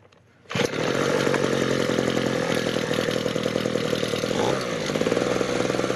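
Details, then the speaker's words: Ryobi RBV26G 26 cc two-stroke leaf blower, carburetor ultrasonically cleaned and spark checked at 0.8 mm. At full throttle the high mixture screw is adjusted: a steady high scream whose pitch dips, then settles at peak revs; tuned about as well as it will get. "So that is about as good as that will ever get. So you could hear the change in tone as it's trying to adjust the mixture."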